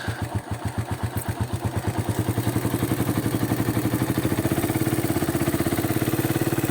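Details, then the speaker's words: Raider 150 motorcycle bought 2022: rapid single-cylinder beat rising from slow chuffs to fast, with a tinny metallic clatter on top that grows louder after about 10 minutes of use; it also hard-starts and dies when revved, cause unknown. "pa parang may maingay na bakal na nagtan mga kaen ano ganito yung tunog"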